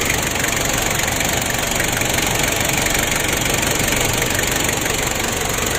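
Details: Ford Ranger diesel losing much engine oil and unable to rev high, intake air hose removed: rapid even ticking about three per second over a hissing idle, like a compression leak; found some valve clearances out of adjustment.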